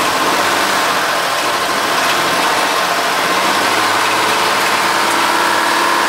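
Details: Honda Odyssey after Big-Sert repair of a blown-out spark plug hole and plug reinstalled: engine catches and settles into a steady, even idle with no misfire stumble or ticking. Normal idle.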